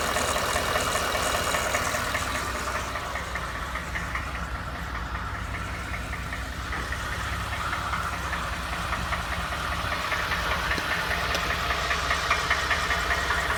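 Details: Used Ford F150, knock noticed after 1000 miles of ownership, going to the dealer; idling with a steady regular knock about two and a half beats per second over the hum; cause unknown; engine knock.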